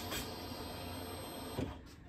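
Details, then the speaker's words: 2006 Pontiac G6 after fuel pump replacement, key cycled to prime: soft steady whir about 1.5 seconds then cuts off cleanly; normal fuel pump priming. Post-install issue traced to crossed fuel lines, not the pump. "so you can hear it there it's priming up the fuel pump and no I didn't clean that cover but it'll be fun"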